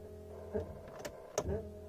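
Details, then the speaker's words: Volvo 240 at key-on: a steady low buzzing drone from the electric fuel pump, mounted rear left under the car on a metal basket with rubber mounts. Something is making contact, so vibration carries into the body; also heard while driving. "écoutez quand je mets le contact on entend la pompe à essence elle fait un bruit archi merdique"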